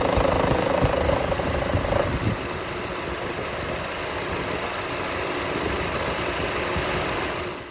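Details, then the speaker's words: 2013 Chevrolet Cruze idling with the AC on: a fast, uneven light rattle or vibration over the engine hum; the owner suspects the belt tensioner, which is being replaced. "When you turn on the AC, it feels like it's like something's either like vibrating too much, kind of like a little, I don't want to say like a tick, but I think I recorded something, so I'll upload the little, insert the video clip right here."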